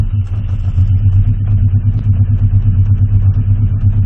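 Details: Honda CB650C after carburetor cleaning, pilot screws set to one full turn out, target idle about 1,000 rpm; low, lumpy idle rising and sagging at about three pulses a second, clicking noise still present; rough idle, mixture suspected.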